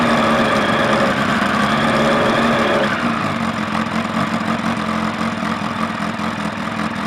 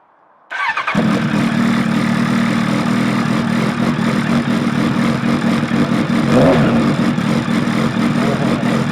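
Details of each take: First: Suzuki Bandit 1200 inline four, first start after fitting a manual cam chain tensioner, new clutch and a Max Torque exhaust can with baffle in: brief blip then steady, throaty idle, even firing, no ticking or rattle; normal running. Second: Suzuki Bandit 1200 just fitted with a manual cam chain tensioner, Maxtorque exhaust can with the baffle removed: catches and drones loud, deep and raspy with no muffling; likely to fail noise tests.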